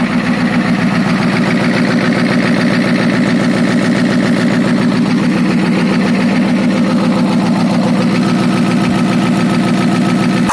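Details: Ford F350 6.9L IDI diesel after injection pump replacement and injector bleeding: even clatter at idle with a steady low pulse about 3–4 beats a second, no obvious misses, though owner afterward suspects a dead cylinder.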